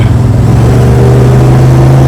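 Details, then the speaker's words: 1973 Dodge Dart Swinger driving after steering column rattle repair: steady engine drone with even low hum, no column clatter; speedometer now not working so no speedometer noise, though a different rattle has appeared. "We don't have any speedometer noise. But clatterty, clatterty, rattlety, rattle is gone."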